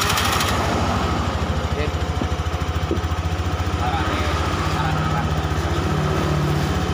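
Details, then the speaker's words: Fuel-injected single-cylinder motorcycle that stutters when hot and lacks power uphill (cause: a broken wire), fuel pump pressure checked normal: an even putter at a steady 1500–1600 rpm idle with no misses or knocks; before the TPS adjustment. "ini ada di 1500 1600 normal"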